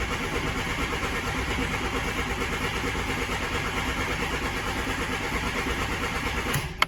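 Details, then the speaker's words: 1988 VW Polo MK2 Breadvan after carburettor refit: starter churns slowly and unevenly for seconds without firing; carb spray helped earlier, so owner suspects fuel isn't getting up to the carb, gauge reads some fuel. "It's as if the fuel isn't getting up at all, because the carb spray did help."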